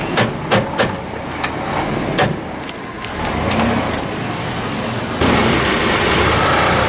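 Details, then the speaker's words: 1998/2003 Chevy S-10 with no or intermittent 4WD: sharp snaps and pops creeping through a tight turn in four-high, then steady drive noise; mechanic suspects the front axle, S-10 actuator issues known. Cause not confirmed. "Uh, like I say, with that snapping sound, it really sounded to me like the front axle."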